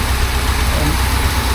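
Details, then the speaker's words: 1976 BMW 2002 carbureted petrol engine after restoration, with electronic ignition fitted and a vacuum leak plugged. It idles low and even at about 935–950 rpm with a steady throb and no hunting or misses: a normal steady idle. "Sounds good. I'll be happy with that for a while now."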